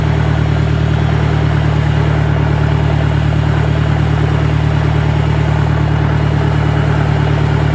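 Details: 1965 John Deere 1010 with suspect maintenance, Stanley muffler, about 1000 rpm in first gear: a steady low drone with a persistent tonal gear hum; the transmission is noisier than the 1963's, cause unclear.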